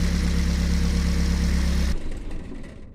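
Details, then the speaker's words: Dongfeng C37 minivan engine idling with the alternator drive belt removed: smooth idle with no tapping or squeal before shutdown; the noise is gone, so a belt-driven component is faulty. "y estimados amigos como pueden observar el sonido ha desaparecido lo que me indica que algún componente que es movido por la banda de transmisión del alternador se encuentra defectuoso"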